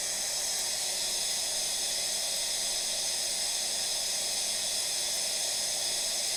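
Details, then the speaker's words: New 40-gallon AO Smith electric water heater being refilled after disassembly for low outlet pressure; steady high airy hiss of trapped air escaping the open line as tank nears full; normal air venting during tank fill. "So it's not quite full yet, but you can hear the air coming out of it. We're getting pretty close to being full right now."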